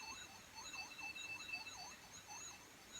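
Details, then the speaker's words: 1983 Pioneer CT-540 cassette deck playing a 3000 Hz test tape after reassembly: tone wobbles up and down in pitch several times a second; bad wow and flutter. "Oh dear, that is terrible. As you can see there, just how bad that is. And as you know, this should be a constant 3000 Hertz tone,"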